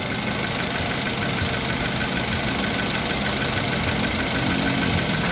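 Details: 2012 Toyota Avanza Veloz at idle after replacing damaged conrod bearings, blamed on poor-quality oil, and fresh oil instead of a full engine teardown; steady, smooth, even idle with no knock, running normally again.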